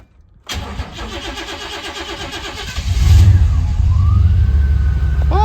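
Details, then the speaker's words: 1991 Chevy Silverado with 399,000 miles, after reconnecting the MAP sensor vacuum hose knocked off during EGR work: quick crank, then a strong, even, deep idle with no miss or stumble; normal start and idle. "wow you idiot you idiot she runs good now"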